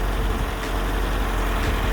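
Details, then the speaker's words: 1982 Datsun 720 4x4 King Cab, 5-speed, one family owned, freshly tuned up (plug wires, cap, rotor, oil change), hood open: steady even low rumble with no knocks, misses or ticks; normal idle. "under the hood looks just as good it runs really really good"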